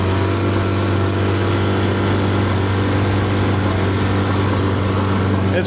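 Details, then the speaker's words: 15 HP four-stroke outboard at wide-open throttle after about five minutes warm-up, fuel pump rewired with 10 A fuse: steady high drone with uneven stumble, missing badly; owner wonders about the coil; high-rpm misfire once warm. "Let's open her up again, see what happens. Definitely missing bad."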